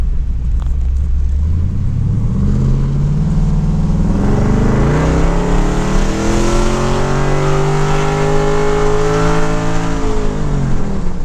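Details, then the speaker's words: LS-swapped third-gen, not yet dyno tuned, shift kit, selector put in drive; engine pitch climbs steadily with no revs drop, box holds one gear, no upshift or overdrive; TV cable and linkage checked, owner suspects governor gear. "It doesn't seem like it's shifting, if you ask me."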